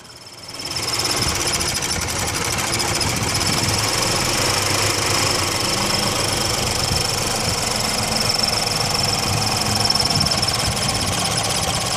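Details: Subaru BRZ at idle: fast chirping tick, about three or four a second, over an unsteady, rough idle with a hissy top end; cause unknown.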